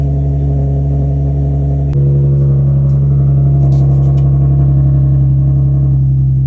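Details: Nissan 350Z started after new belts, Z1 Motorsports lightweight crank pulley and pulley delete, fixing squeaky belts: steady, even low hum at idle with no squeal, chirp or knock, running smooth.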